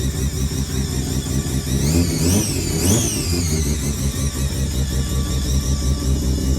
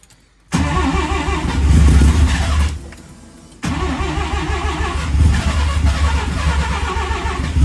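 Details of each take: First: Mazda 323 with Bridgeport-ported turbo 13B rotary, replacement ECU, after a lot of fuel was removed from the maps: runs steady and fairly even with blips and a clean return to idle. Still a bit smoky pending a proper tune; loud fuel pumps. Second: Mazda 323 with Bridgeport-ported turbo 13B rotary, replacement ECU: idles rough, loping and stumbling on a far-too-rich mixture with mix trim set to zero; owner then pulls 30% fuel off the maps and it smokes heavily.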